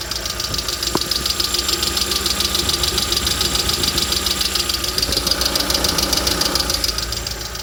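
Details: Lada Vesta SW Cross, 106 hp 1.6 engine: steady light ticking at about two per second over a smooth idle, a sharp metallic engine knock with no clear cause yet.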